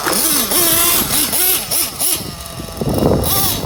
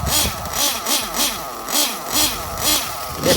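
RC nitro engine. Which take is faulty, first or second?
first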